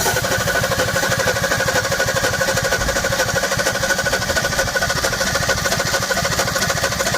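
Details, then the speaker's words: 1961 Ford Falcon Futura parked 20 years, first crank with fuel added: uneven, lumpy running with a stumbling beat and firing gaps, only about two or three cylinders firing; misfire on several cylinders, spark plugs yet to be checked. "fire this sounds like there's gonna be about maybe two or three cylinders hitting and firing there"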